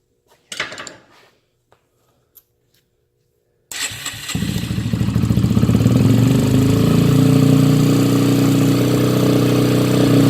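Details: 2009 Yamaha TTR 125 after working on a leaky carburetor float and needle: after a pause it fires and climbs to a steady, even single-cylinder putter with no stumbling; carb seems to be feeding cleanly.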